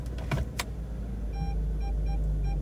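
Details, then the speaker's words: Audi A4 after a secondhand reversing sensor was fitted and the rear lamp clusters cleaned, with no dashboard warning lights: after a few clunks, steady short high beeps over the idling engine in reverse. The parking sensor works normally. "before that tinkering just to show you there are no warning lights on the dashboard and then if i place it into reverse"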